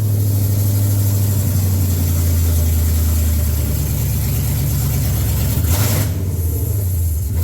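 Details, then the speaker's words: 2014 Mustang GT (S197) with a standalone Coyote V8 swap, first start after swapping throttle pedal pins, running without O2 sensors or MAF. It has a deep, even idle and smooth throttle blips with no misfire or knock, and no throttle codes. "okay so at the moment there's no oxygen sensors and no mass airflow hooked up so it's not really going to do you know like revving much more than that but I have no throttle codes I have full control of the pedal"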